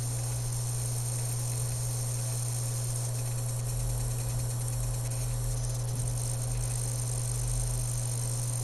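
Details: Dell M65 notebook: a constant thin high-pitched whine over a steady low hum, coming from the bottom side of the notebook; exact source unidentified.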